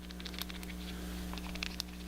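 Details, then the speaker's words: Bigsby roller bar on a 2003 Mexican Standard Telecaster: a hollow steel sleeve with pressed-in bronze bushings, taken out during a B-bender install. Light, irregular metallic clicks over a low hum as the bar shifts. This is end-to-end slop on a poorly machined shaft. "you can hear the end-to-end sloppiness here of that shaft. Plus, it's not really well machined"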